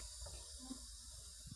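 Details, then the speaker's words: A new, sealed LPG cylinder with the regulator fitted makes a steady, thin high hiss without a break: gas leaking at the cylinder-regulator connection. "means that there is a leak in the connection, OK?"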